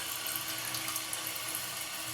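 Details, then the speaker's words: Toilet tank refilling after the flapper was replaced to cure a dripping sound: the ball-float fill valve sends water down the fill tube with a steady, even rushing hiss, no gurgle or sputter; normal refill. "The water comes up through this and down this tube, down into this fill tube, and fills the tank. We're just going to wait for it to fill up, test it out, see if we have to make an adjustment."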